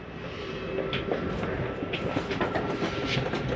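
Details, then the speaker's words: Jayco Jay Flight SLX 245RLS travel trailer slide-out retracting: even motor drone with light, regular gear clatter and no binding or grinding, so retraction is normal. "it's okay to hear that noise that's the slide keep itself from going in too far or out too far"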